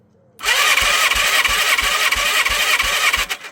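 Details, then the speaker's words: 1987 Yamaha FZR1000, 16 years unused (8 in barn, 8 outside), cranking compression test: steady starter whirr with light pulses about three per second; compression low but present, owner suspects sticking piston ring. "Okay, compression's low, but there is compression. It might have been a sticking piston ring or something simple like that."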